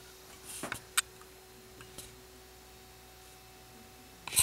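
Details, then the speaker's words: Eluded Tech sound-activated RGB party light with remote: thin steady whine from the rotation motor on its slowest speed setting; quiet room with a few handling clicks. "if I and if I make it faster then the wine goes away so on the slowest setting it seems to have a noise to it"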